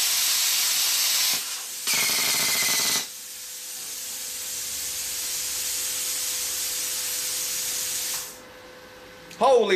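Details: Plasma cutter cutting plate, sputtering even with new consumables: air hiss cutting in and out as the arc catches only in bursts; cause low supply voltage, with a loose lead also found.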